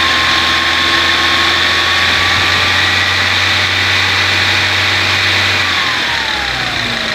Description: no se sabe de qe o donde es el ruido ...el motor no falla ,enciende bien ,regula ralenti bien ...